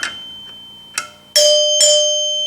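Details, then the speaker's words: 1974 Gottlieb Magnetron EM pinball three-chime unit after rebuild and adjustment: clean bell strikes ringing out and decaying slowly with clear sustain; chimes sound right. "There we go. Just like playing the bells in middle school band. See, they got that sustain to them."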